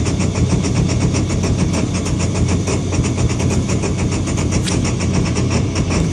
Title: Rough idle2